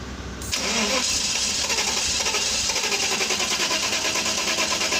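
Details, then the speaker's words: Mercedes S500 (2000–2006 S-Class): starter churns steadily and quickly but never fires; crank no-start from low fuel pressure, both fuel pumps failed. "साला दोनों पंप खराब हो गए। Pressure low हो गया ना।"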